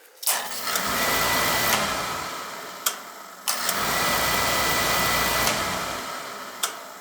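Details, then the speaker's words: Beckett oil burner with lockout issues, just after a filter change: steady burner roar with sharp single clicks every few seconds as a clutch assembly opens and shuts; transformer suspected, not confirmed. "it does have this queer clutch assembly in here see this thing here when it runs it opens and shuts"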